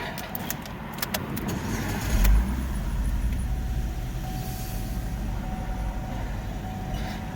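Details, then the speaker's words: 2011 Chevrolet Equinox, first start after throttle body cleaning with carburetor cleaner: a few clicks, then engine catches and runs a bit rough and uneven at first as cleaner residue burns off; expected. "A little rough starting, but that's to be expected. If it does act a little funny after you put that carburetor cleaner in, the carburetor cleaner is highly flammable also."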